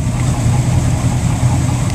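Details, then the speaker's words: Mercury boat engines at the dock in the water, still a little cold after about 2 minutes: deep, steady idle rumble, even, with no misses or mechanical noise. Idling normally. "you're kind of getting a good idea of the uh of the sound here at idle but you can see the RPM gauge"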